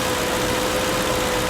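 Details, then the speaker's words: 2005 Mercury Grand Marquis 4.6 V8: even, steady idle with soft low hum, no misses, ticks or knocks; purring smooth and healthy. "and this thing is purring like a kitten it's smooth the ride is smooth it drives pretty good so far"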